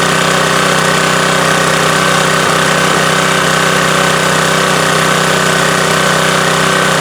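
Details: Subaru electric-start pressure washer engine after oil refill, checked for oil/fuel leaks (over-oiled air filter suspected cause): strong, steady pulsing beat at constant speed, no misses, knocks or surging; runs healthy.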